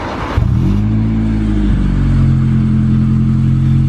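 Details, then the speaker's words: 21-year-old Honda EJ9 first start after fitting a 4-2-1 exhaust manifold; clean even rev rising and settling smoothly with a deep steady tone, no rasps or leaks, quieter than expected: normal exhaust note. "I thought it'd be louder but that sounds nice [Music] tell you what for a default in that does sound alright that does sound good"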